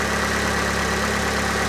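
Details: Fiat 500 Lounge, Cat S salvage, 115K miles, after throttle body cleaning: steady even idle with a low constant hum, no misses, knocks or hunting; engine idling smoothly and healthy.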